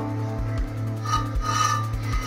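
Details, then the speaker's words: Chevrolet Beat wheel jacked up and rotated by hand: a dry rasping scrape repeats each turn from a stone trapped between the brake disc and dust shield; the stone was removed. "this is a stone that's in between this and this okay this is actually I'm going to rotate just observe it"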